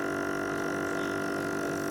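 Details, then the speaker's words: Aqua Zonic Trooper 88000 AC/DC air pump running on mains plug with old worn-out battery disconnected: steady even hum, constant buzz, no rattle or surging; runs normally without battery. "Cabut je konektor, bateri konektor dengan ni, cabut. Dan biar je macam tu, dan kita guna on bateri, on plug, kita boleh terus pakai terus, dia bunyi tu. Dia boleh pakai."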